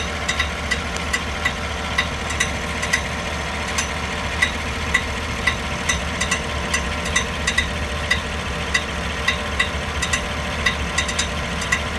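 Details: 2015 GMC Yukon with a bad starter. Sharp metallic ticks about twice a second, uneven in timing, heard over a steady idle. Faulty starter noise.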